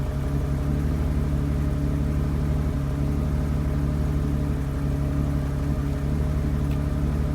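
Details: BMW 750 E32 with M70 V12 petrol engine idling with a deep, uneven pulsing rumble; spark plugs, distributors, caps and one MAF already changed, plugs wet and sooty, owner suspects running rich.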